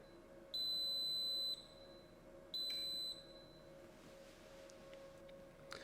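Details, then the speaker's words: Thermal Grizzly WireView Pro II monitoring a GPU 600 W connector: two piercing beeps warning of over-current exceeding the limit, after which the WireView triggers a shutdown of the system. "As you can see, the WireView triggered shutdown and shut down the system."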